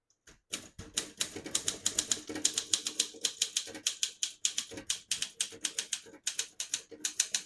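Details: 1961 Olympia SM7 manual portable typewriter, serviced, typing with ribbon switched to red: crisp, evenly spaced keystrikes about three to four a second with light carriage ring; working normally.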